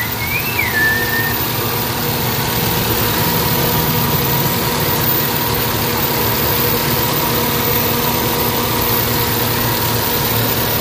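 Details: Toyota Vitz after repair of engine vibration on reverse/drive engagement and no-power issue, checked at the front for leaks: smooth, even idle with a steady low hum, no knocks, misses or rough pulses; engine running healthy.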